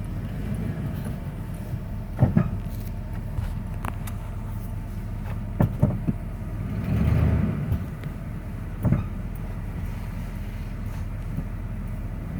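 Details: 1994 Ford F-150 4x4 with TTB, lock-out hubs in free: slow-moving, sharp single clunks a couple of seconds apart when the brake is released, mostly in reverse going downhill; origin not identified.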